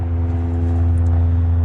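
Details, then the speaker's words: Jurassic Park replica Jeep after replacing a leaking vacuum elbow at the fuel pressure regulator: starts fine and holds a steady low idle briefly, then dies after about 3 seconds; cause still unknown, TPS and MAP sensor later replaced. "After that, it was figuring out, well, why is it only running for 3 seconds? Starts fine, won't run."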